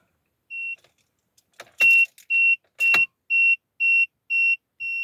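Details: Peugeot 5008: a high beep repeats twice a second with a couple of dull clicks, but the engine never turns over; no-start with warning tone.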